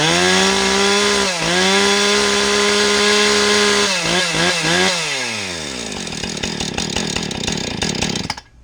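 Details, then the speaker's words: Husqvarna 455 Rancher two-stroke chainsaw after replacing the oil pump, oil pump drive gear and rim sprocket, now oiling the bar. It holds a steady high buzz, dips briefly and recovers, then winds down smoothly. It is running normally. "I'm going to fire it up real quick, let y'all see what I mean. It's oiling now."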